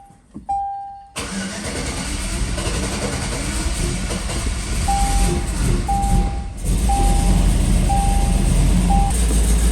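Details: 2004 Chevy Colorado with a cammed 5.3L LS and hidden turbo kit, first start: cranks and catches, then a lumpy, uneven idle with a heavy lope; running on only four cylinders because half the spark plugs had no power source.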